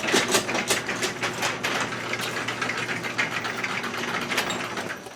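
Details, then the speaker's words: Chamberlain garage door opener after repair of light not coming on when beam broken: steady chain-drive hum and low motor drone through door travel, door reverses when beam broken; normal opener run and safety reverse. "okay so now it's working correctly it did reverse and of course if something broke the beam it uh flashes several times"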